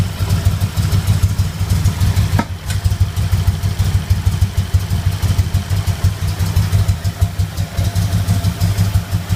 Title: Popping noise at idle @ passenger side lower intake manifold